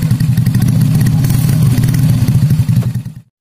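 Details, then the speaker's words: Freshly built semi-racing Honda C-series engine (Juve piston, BRT T1 cam, double ball bearings), warm: loud crisp exhaust pulses rise and fall cleanly, no knock or rattle; smooth engine, strong pull. "ini mantap tarikannya nih suara mesin halus baru tiga saya ini terasa panasnya itu beda sekalian tarikannya ini luar biasa"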